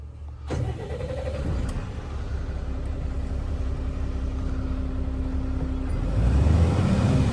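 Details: Tata Garuda BS6 diesel truck with an RPM drop problem, started after reconnecting a plug with no fault code. It cranks and catches at once, settles to an even idle, and revs climb smoothly; normal start.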